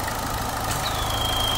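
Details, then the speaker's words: 2014 JH Holden Cruze at idle after fixing a P0171 lean code caused by a split PCV diaphragm, with a new rocker cover fitted: even idle, faint thin hiss from the dipstick, no loud purge noise as before; normal. "you got some noise some noise from the dipstick which like I said some cars will run a vacuum on the crank case uh but yeah it shouldn't be excessive like before it was making a big Purge noise"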